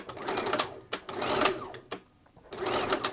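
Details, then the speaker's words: Bernina 930 Record Electronic sewing machine at full speed after a drop of oil on the hook race: bursts of stitching with sharp single clicks as the needle-positioning system engages on stopping, needle stopping up; normal for this model. "now that clicking noise that's common on these I think they probably even did that since new that's the needle positioning system uh kicking in there"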